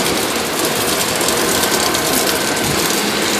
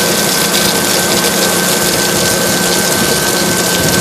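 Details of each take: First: Water tower (swamp cooler) pump installed incorrectly, fed from the bottom through a sand filter, so pressure is upset: a loud steady hiss with fast ratchet-like chatter; it spins unprimed and can't spray. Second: Water tower (swamp cooler) pump, after isolating it with shut-off valves so it can prime: steady, even hum with a constant high tone and water rush; primed and running smoothly, "purrs like a cat."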